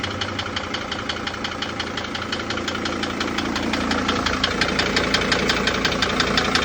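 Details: Mercedes Sprinter T1N with OM647 diesel at 182k miles idles with a sharp, regular knock about three beats a second over the clatter. The knock has been present for 5000+ miles of normal running, and the oil change showed a few metal flakes. Owner suspects an injector or something worse.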